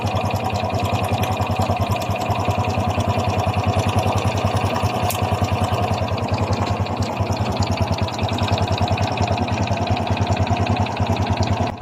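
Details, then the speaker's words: Honda XRM 125 FI motorcycle at idle: a light metallic clatter over a quick even beat; a mechanic blamed the connecting rod, but it is judged to be timing chain rattle against the cylinder head and block. "yan po ay tunog ng lagitik ng kanyang timing chin para siyang kumakalansing sa kanyang cylinder head at saka sa kanyang cylinder black"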